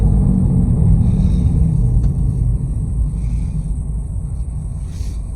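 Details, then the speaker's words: Nissan Versa Note after transmission replacement, first drive, shifting fine, no check engine lights: steady low rumbling growl under the car while rolling, no knocks or clicks; bad wheel bearing suspected, which one not yet found. "sounds like we got a bad wheel bearing but this we've never got to drive this car because it wouldn't move oh yeah we got someone bad wheel bearings"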